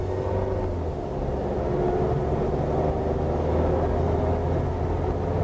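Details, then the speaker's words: Front-wheel-drive car driving with windows up, noise growing louder with speed: steady low growl under cabin drone, constant rather than rhythmic; suspected final drive/differential rather than wheel bearing, unconfirmed. "now typically a wheel bearing noise will give you a rail rail rail railroad noise whereas a differential noise will be consistent growl"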